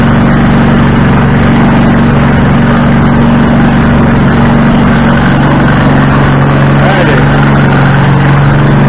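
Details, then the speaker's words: Husqvarna riding tractor, running again after a no-crank condition: very loud, raspy, unmuffled blat at a steady idle, much harsher than normal; the exhaust is broken from years of impact damage, left unrepaired. "so and yes the exhaust is broke i do not care to fix it the quiets up over time"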